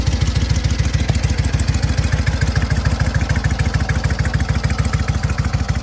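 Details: SOKÓŁ 1000 motorcycle after full engine rebuild, briefly warmed; quick, even thumping idle, steady beat, no knocking, howl or grinding from the 12V generator; healthy.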